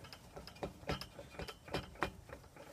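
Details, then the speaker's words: Suburban N-Fab step bar mounted on the supplied carriage bolts, rocked by hand: irregular creaks and ticks as the loose bar shifts on its mounts, before a more solid remount. "around way too much. You hear that squeakiness."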